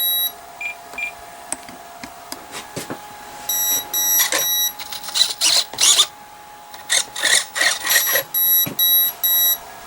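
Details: Komet foam RC plane, freshly charged 4S battery plugged in, transmitter bound, throttle cutoff switch present; speed controller repeats groups of four short high beeps with pauses and never spools up; ESC repeating beep code, no throttle response.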